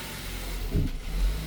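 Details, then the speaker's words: 2020 Ford Transit Connect on startup: low rumble that bogs and swells unevenly, rough stumbling idle with temp gauge pinned hot and codes P1299, P017D, sometimes stalling; traced to a failing alternator. "Go ahead and fire it up. See, it wants to bog down."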